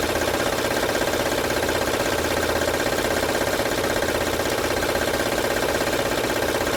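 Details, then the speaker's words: 2006 Honda Odyssey with no fault codes, at idle: a loud, even, fast metallic rattle about two or three per second, loudest at the front of the engine. Timing belt covers are to be opened to find it; the cause is not yet confirmed. "como ven pueden Escuchar el ruido es fuerte vamos a ver de dónde está viendo LED"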